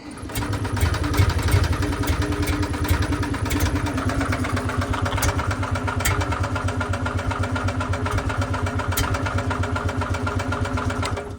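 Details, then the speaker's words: 1977 Winnebago Chieftain motorhome, carbureted, abandoned 20 years and said to run on only 7 cylinders: steady cranking with occasional sharp pops, one cylinder catching but not running. Spark present and fuel reaching the carb; major fuel leaks and a little exhaust smoke. "ght let's try the start button see what happens oh oh I heard a cylinder oh we got major fuel leaks though"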